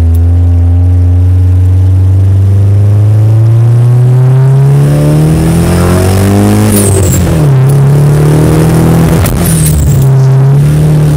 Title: S13 Misfire